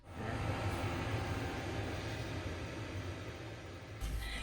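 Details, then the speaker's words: Newly installed diesel heater in a 25-year-old campervan, fitted to replace the old unit from under the seating; steady even blower roar with a low hum underneath, no stutter or surging; normal diesel heater operation. "that sound that you can hear is a working diesel heater"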